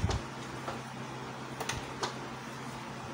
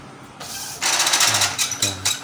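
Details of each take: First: Epson L110 printer at power-on: quiet, then a loud hissing whir as the paper feed roller keeps spinning long while the head carriage stays still; power and paper lights blink together and a paper-jam warning appears when printing. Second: Epson L110 printer at power-on during a long-spinning-roller, head-not-moving, blinking-lights fault check: quick whirring and ratcheting bursts as the head carriage shuttles across cleanly, confirming the print head carriage moves normally.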